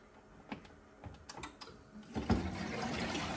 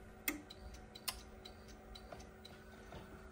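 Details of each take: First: ATAG system boiler with no heating or hot water: after the pump fault and a PRV clean, a few clicks, then a steady low hum with water rushing as the circulating pump runs and circulates normally. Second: Newly installed Atag boiler with no heating or hot water, fault code showing: sharp irregular relay clicks over low hum as it tries and fails to fire; pump suspected faulty.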